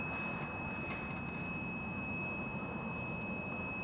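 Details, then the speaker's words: Digital multimeter continuity test on soldered CDI ignition wiring harness, ground lead to black cable, about 10 degrees in Ontario: steady, unbroken high-pitched beep for four seconds, resistance around 0.5 ohm; sound ground connection. "see so you can hear my you can hear my meter beeping that's that's telling me now"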